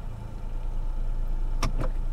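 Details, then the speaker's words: Three-cylinder salvage-auction car at normal idle, low steady hum with an even beat and only a few handling clicks; surprisingly little vibration for a three-cylinder, running smoothly with nothing amiss. "I'm surprised at how little vibration there is from a three cylinder three cylinders generally will vibrate like crazy because it's an odd number of cylinders and you tend to get quite a bit of vibration from a little three cylinder but the vibration is not bad at all"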